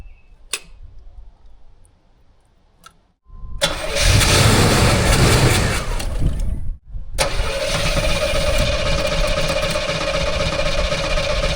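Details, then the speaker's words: 1984 Chevrolet Monte Carlo SS V8 barn find, fuel poured into carburetor: starter churns, engine catches briefly and runs roughly; cranking no-start because no fuel comes up from the tank, line from tank found dry. "It definitely wants to run. I've just got to get fuel up here from the fuel tank. It tried a little harder that time to start."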